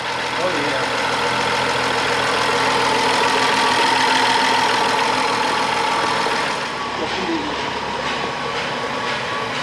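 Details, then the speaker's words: 2011 BMW X5 3.0 N55 twin-turbo, 80,000 miles, on first start after a seized engine was freed: steady, even, smooth idle with no knock or tick, no fault codes and normal temperature. "i can't believe it's running no way and it sounds good too dude it sounds good i think it sounds good"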